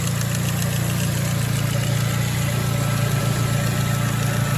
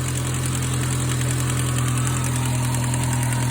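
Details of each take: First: 2006 Ford Focus ZX4 at idle, before idler pulley replacement: steady idle with a constant low rubbing drone about four pulses a second; worn idler pulley bearing noise. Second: 2006 Ford Focus ZX4 after idler pulley replacement: smooth, steady idle with no chirp, squeal or rattle; the earlier noise is gone.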